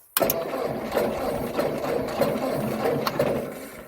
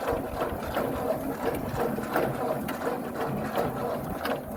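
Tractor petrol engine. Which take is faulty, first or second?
first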